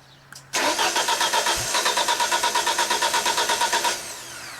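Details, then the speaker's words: 1995 Genie Z45 boom lift with LP/gas engine: it stalled on platform controls when trying to raise, with test lights on junctions 38/39 still lit. Steady cranking at about three even pulses a second, but no fire. Crank no start, no power to fuel pump. "Emergency switch off. Test lights go out. Switch on. Test lights come on. Crank no start."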